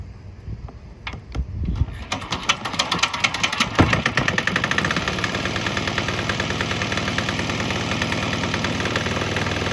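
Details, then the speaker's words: Swan X 165F Chinese single-cylinder diesel restarted on nearly straight used canola fryer oil after draining a diesel mix: sputters to life with uneven knocks, then settles into fast, even diesel clatter; runs normally on used canola oil. "Fired back up. Right now it's pretty much straight canola, so we'll get a couple minutes to see how it runs."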